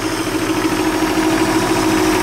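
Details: Ford 300 inline-six after cylinder head removal, reinstallation and valve adjustment: steady, even running with no knock, miss or tick; normal running.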